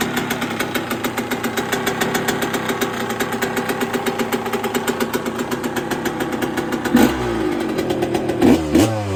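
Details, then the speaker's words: 1999/2002 Yamaha YZ125 converted to 144, first start after full restoration with a cleaned and rebuilt carb whose float still leaks, started first kick: crisp, sharp two-stroke popping at fast idle with clean throttle blips; normal running. "oh she sounds [Music] crispy"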